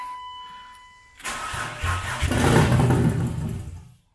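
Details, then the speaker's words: Turbo BMW E36 first start-up on jump box, throttle cable faulty so no revving: cranks, catches with deep loud V8-like rumble, runs a couple of seconds then dies as battery goes dead. "come on baby [Music] sounds like a v8 like a nascar truck"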